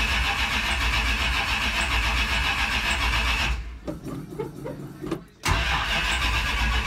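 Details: Carbureted Roadrunner after sitting about 4–5 months, with fuel just hooked up temporarily while the trunk is being worked on. Long steady cranking with no catch, a pause, then it fires and runs on its own; fuel likely slow to reach the carburetor.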